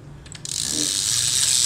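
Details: Used Japanese-market fishing reel no. 12 being test-retrieved: a quick click, then an even, light high whir as the handle turns, with no grind or catch. It retrieves smoothly.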